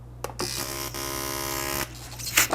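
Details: Fuel injector from a 2007 GMC Yukon Denali 6.2L V8, pulsed on an injector tester/cleaning kit during cleaning: a steady, even buzz of just over a second with a clean start and stop. Injector pulsing normally.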